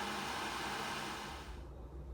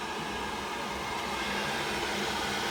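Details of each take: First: Worcester Ri boiler with blue flashing light, fan purge rushes steadily then winds down with one click and no burner roar; ignition fails, locks out on flame failure. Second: Worcester Ri boiler after a blue-flashing-light ignition fault, now lit after about 40 minutes adjusting the gas valve min and max settings: steady, even fan rush and smooth burner roar, no rattles or surging, before setting the ratios; running normally.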